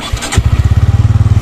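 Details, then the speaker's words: 2024 Bajaj Pulsar N150, just after a service, electric self-start: starter whirr, then the single-cylinder engine catches and settles into an even, low, steady idle thump. Normal engine start. "तो यहां पर start करते हैं अपनी bike को तो अभी self दबाता हूं"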